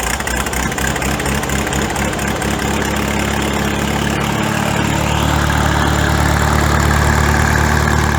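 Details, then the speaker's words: Farmall tractor after exhaust modification (cut-down pipe reworked, glue-fixed): engine catches and settles into a deep, steady low drum with even beat, no knocks or leaks; healthy idle, deep original sound back. "got the same the same cell as previously it's a nice deep sound and i think foreign it sounds much bigger"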